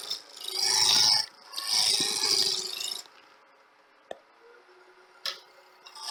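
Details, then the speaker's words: Wood lathe turning a 4-inch sphere blank; gouge rasps in bursts with gaps and taps instead of a steady cut; intermittent tool contact because the blank still has flats. "you can hear that it's either getting as round or get in there still got a flat on it"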